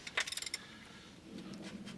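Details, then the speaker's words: Seized V8 in a classic Mustang that sat for years, turned by hand: quick run of dry metallic scrapes as rings cut surface rust from the cylinder bore. "Hear that? Yeah. So that's it, cutting the rust inside the cylinder."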